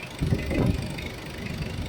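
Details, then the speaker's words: Mitsubishi Adventure diesel idling: uneven rhythm with heavier thumps, slight misfire causing shaking and sudden vibration surges; customer complained of noisy engine, suspected valves. "Ang napapansin ko dito sa makina mo may konti siyang palyya."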